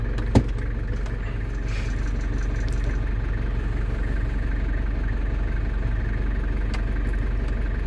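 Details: London Taxi diesel with automatic gearbox, just refilled with fluid after sump gasket renewal, started after glow plug light: one soft clunk as gear engages, then smooth even idle with low steady beat, no rattles or knocks; normal idle while cycling gears to bleed.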